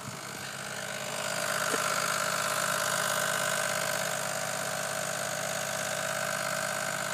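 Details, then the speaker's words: 2004 Chevrolet Cavalier, about 48,000 miles, no check-engine light, random daily noise from the passenger-side engine area: steady idle with a fine regular tick about three per second and a faint whine; owner suspects a lifter or something loose. "this is the sound my car keeps making it definitely sounds like it's coming from the engine but it doesn't do it all the time"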